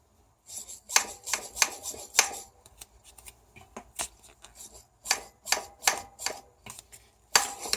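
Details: RockShox Sektor Silver TK Solo Air 140mm fork clicking sharply when pumped; the inner tube on the left spring side has about 1 mm vertical play (possibly a worn seal) and is pushed up by friction, hitting the top cap.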